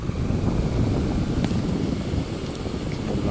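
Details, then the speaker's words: Household electric fan after fixing a loud, wavering noise from the motor outlet, dismantled and reassembled: runs with an even, soft bee-like whooshing hum, no squeal, scrape or rattle. Normal fan running. "مثل ما ملاحظين صار صوتها مثل النحله ما في اي اشكال"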